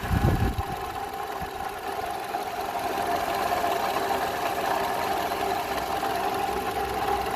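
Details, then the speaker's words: 2012 Toyota RAV4 idling: faint steady whirring hum from the belt area, unchanged by air conditioning compressor; alternator replaced years earlier; mechanic's stethoscope locates it at the belt tensioner; worn belt tensioner pulley noise. "The alternator was changed a few years ago, but I've used my cheap mechanic stethoscope and I stick it right there at the belt tensioner. That's where the noise is coming from"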